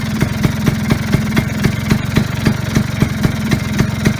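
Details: Vespa Sprint Veloce first start after repairing the wiring harness: crisp, even two-stroke putter at a steady fast idle, evenly spaced beats, no misses or knocks, running cleanly.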